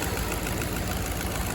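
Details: 2009 Infiniti FX50 at idle, stumbling and shaking, low idle with needle jumping, code P0301: lumpy uneven thump with irregular skip; cylinder 1 misfire, coil packs commonly to blame.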